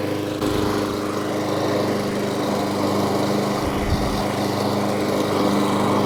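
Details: New Echo 190cc twin-blade gas mower mulching; steady even engine drone at constant speed, no misses, knocks or surging, running healthy.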